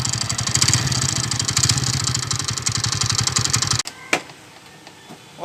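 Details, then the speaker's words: TVS Ntorq scooter engine running with a steady ticking clatter at about four beats a second from the loose magneto rotor; tightening the magneto rotor solves the noise. "जिस magnet को tight करके आप लोगों का जो भी इस magnet का साउंड ए रहा है आप लोग भी ऐसा कम करेगा तो वह प्रॉब्लम सॉल्व हो जाएगा"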